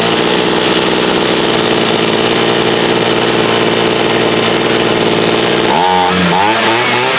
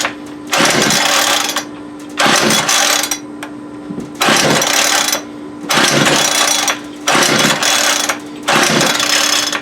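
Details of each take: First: Homelite UT33650A 26cc two-stroke trimmer fitted with a Ryobi carburetor and its idle bumped up; a steady high buzz holds even, then the pitch swings near the end. It runs, though the carb still needs adjusting. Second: Homelite UT33650A 26cc trimmer with cracked, aged fuel lines that idles but bogs and dies on throttle: repeated rough throttle bursts about every two seconds dropping back to low idle. Carburetor fault, possibly air-fuel mixture.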